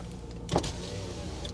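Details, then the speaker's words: C5 Chevy Corvette Z06, low mileage, at a salvage yard, running with the door closed. A short, smooth power-window motor whir with a clean stop and no grinding or straining: normal power window operation. "closing the door should stop that noise oh important window works"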